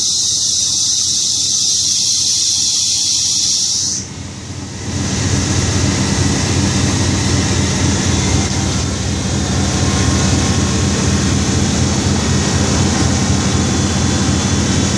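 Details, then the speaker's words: 1991 Toyota Corolla cold start at -30° (garage-kept): hissing, engine catches and runs rough with a thin high squeal, power steering suspected. "Oh yeah, you can depend on your imports. Sounds like power steering's not happy."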